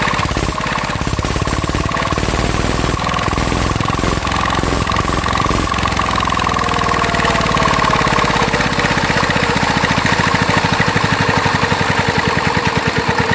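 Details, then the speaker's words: Mitsubishi NM85 diesel, about 40 years old, test run after a rebuild with wrong springs and suspected injector and air problems. Heavy steady thumping with a faint high whine sliding down in pitch. Suspected fan bearing, possibly the belt tensioner or radiator fan. "แล้วก็สังเกตมันจะดังลูกปืนพัดลมนะครับ"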